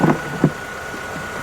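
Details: Mercedes E350 after replacing the defective alternator with a remanufactured unit (battery light had stayed on): quiet, even idle with a faint steady whine from the charging side, system now charging about 13.9–14.0 V; runs normally, fixed.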